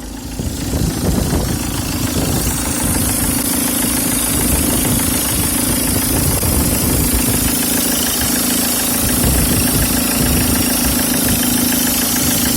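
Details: Peugeot 306 HDi diesel at idle: a steady mid-pitched whine sits constantly over the idle clatter without changing, indicating a loud, whining power steering pump.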